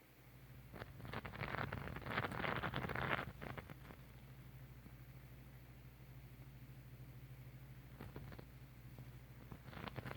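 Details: Vicks steam humidifier running with a steady low hum and bursts of wet bubbling, popping and burping gurgles, even though its rods and inner housing are clean of minerals.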